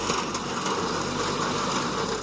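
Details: Tractor-driven machine in a straw field: steady whirring drone with a fine rattle that runs evenly and persists while it runs, stops when the machine is stopped, no trouble with the implement raised; worn roller bearing.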